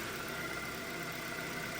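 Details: 2-door 90s Ford Escort, 117,500 miles, smooth four-cylinder idle after the seized AC compressor was gutted into an idler pulley with a new bearing, plus valve cover gasket and oil change; steady even hum, no knocks or misses: normal idle.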